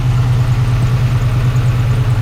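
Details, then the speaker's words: 1980s Chevy C10 truck revived after 20+ years sitting, gauges dead, oil pressure assumed since it hasn't locked up: steady, even low rumble with a smooth idle beat and no knocks or misses while warming; normal idle. "So, we're going to go with the the idea that it has oil pressure. Going to let it idle."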